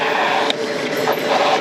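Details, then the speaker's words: Rymic Infinity 3 e-bike (250W motor), hard emergency brake test from 30 km/h: harsh scraping screech with faint squealing edge as the rear wheel locks and skids; mechanical disc brake pads bite well but are a little squeaky. "the pads do bite in from techdro they are a little squeaky as you can hear"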